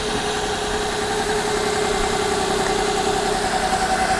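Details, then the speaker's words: Copart salvage car with an inoperative odometer and dash warning lights (ABS, service engine) apparently disabled, idling: steady, under background hiss, with no knock or stumble. It is a runner, and the radiator holds coolant. "she is a she's a runner"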